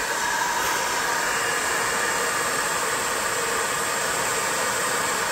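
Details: 20 W diode laser engraver module with an always-on top-mounted cooling fan; constant loud rushing hiss with a shrill high whine, no variation, noisy cooling fan.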